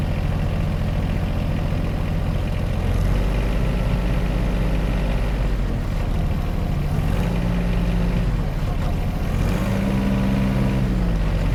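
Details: John Deere 1025R tractor diesel: low clatter whose pitch rises and sags every few seconds at idle; engine surging, attributed to main fuel filter under the floorboard, fixed by replacing it.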